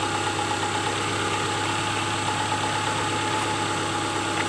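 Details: A 2002 Subaru Outback 2.5 idles after its new alternator/power steering belt was fitted, replacing a snapped one. A smooth, even idle with a steady hum and no squeal, chirp or knock. Normal idle.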